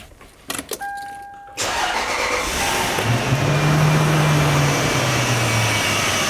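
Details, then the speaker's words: 30-year-old Lexus LS400 V8 on a very cold day: key clicks and a warning chime, then the engine starts and settles to a smooth idle under a steady hiss. The hiss is a small vacuum leak from a newly fitted hose that is leaking. "That noise you heard is a small vacuum leak that we have. The hose that we put here is not working."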